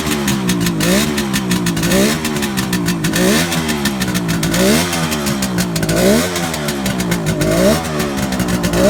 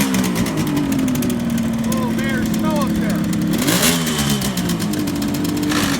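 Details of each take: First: 1971 Kawasaki H1 500 two-stroke triple, rebuilt engine and carburetors, very cold start on choke: revs rise and fall raggedly, flat and uneven; missing on the center cylinder, cause not yet found. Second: 1971 Kawasaki H1 500 two-stroke triple after fixing a spark plug cap and loose ignition wire: crisp, even blipping that settles back with clean, steady firing on all cylinders; healthy and strong.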